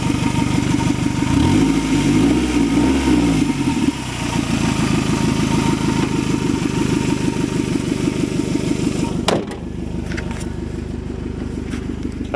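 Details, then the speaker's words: 1994 Toyota Camry LE four-cylinder, about 316,000 miles: steady idle with fast raspy puffing chuff on the exhaust note from a leaking flex pipe; exhaust leak at flex pipe. "you can hear, it has a leak from the flex pipe."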